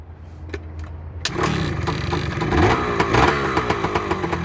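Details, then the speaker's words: Two-stroke motorbike with CDI ignition, first cold start after right-side engine gasket work, no leaks: a few quiet ticks, then it catches and settles into a crisp, quick, even ring-ding idle. Normal cold start. "Purring like a kitten, baby. The sweet sound of a 2-stroke. Listen to that."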